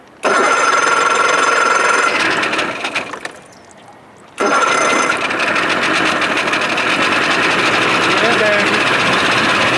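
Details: 1987 Johnson 70 hp outboard, shift linkage adjusted and new thermostat, cold start without starting lever: fires straight away with a high buzzy idle, drops out about a second, then runs evenly. Runs fine in neutral; stalls under load.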